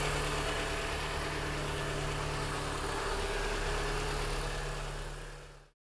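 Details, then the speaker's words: 2007 Mini Cooper Convertible after replacing stuck timing chain tensioner: brief rattle expected until oil fills it, then smooth even idle with steady low beat and no tapping or chain rattle; normal idle after repair. "it should rattle for just a little bit until it gets filled with the oil and then the rattle should go away sounds good so now it sounds nice and normal"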